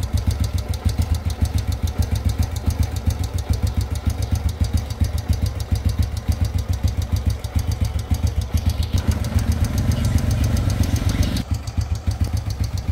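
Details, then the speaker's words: Honda Wave 100 motorbike at idle then throttle blipped: quick light tapping over the idle that grows louder the more throttle is applied; valve train tapping noise. "các bạn nghe máy rồi nhá Bây giờ tôi sẽ ga ga nó lên một tí các bạn nghe [âm nhạc] này nhá các bạn nhá càng ga lên thì lại càng kêu to"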